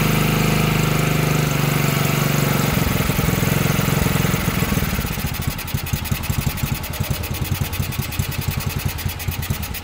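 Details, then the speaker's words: Chinese 110cc quad, first start after fitting new carburetor: engine catches and settles into uneven lumpy idle with irregular firing pulses, a little smoky; carburetor not yet adjusted, rough running after start. "a little smoky and I got to adjust the carburetor on this one too I just haven't got that far yet"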